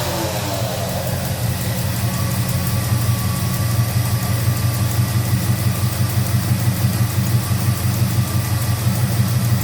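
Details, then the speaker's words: 1971 Oldsmobile 455 V8 starting after fuel line work settles into a deep, lumpy idle with a light, regular lifter tick on top. "I can hear that lifter tick, Battle."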